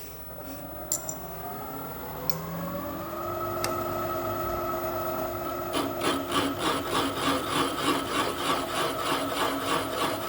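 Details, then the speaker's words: Boring an out-of-round hole in a vise jaw during a Kasto EBS 400 power hacksaw rebuild: spindle hum steadies, then the cutter bites in rhythmic pulses about three a second. An interrupted cut, only cutting on opposite sides of the bore. "That hole's a bit, it's not round, so it's just cutting a bit on this side and a bit on the opposite side."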